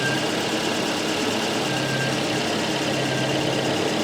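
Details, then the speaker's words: Volvo 244 idling after its ignition timing was corrected from 20° to 10° BTDC, vacuum unplugged (suspected cause of high fuel use and low torque): smooth, steady idle with an even beat, no stumbling or pinging; a lot smoother than before. "so this is where we at with the engine now I think it's a lot smoother that's one thing it is where it's supposed to be timing wise"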